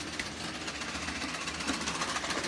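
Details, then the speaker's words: Model train locomotive running at steady speed: rapid, uneven clunks over a harsh rattle; owner suspects a flat tyre on the wheels. "You can hear that clunking. Something's going on with that."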